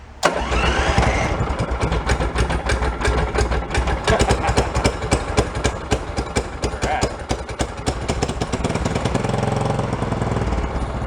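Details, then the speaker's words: Cold start on choke of an amphibious forward/reverse vehicle that sat unused a long time, running old racing gas without alcohol on a deep-cycle battery; catches quickly and settles into a steady, somewhat uneven idle, no knocks or squeals; easy healthy start. "Well, that was an easy cold start. You're gonna stay running, but the battery held up pretty good too."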